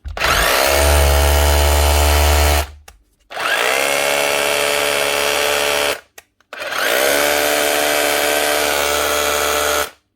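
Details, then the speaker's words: Makita 9069 9-inch angle grinder, roughly 20 years old, after motor rebuild with new armature and brushes (earlier bearing noise): three trigger pulls spin up quickly to a steady, even high whir, no grinding or rattle; running normally. "that's right new brush is fed new Armature everything's set right that should be her no you sound better now more importantly smell better"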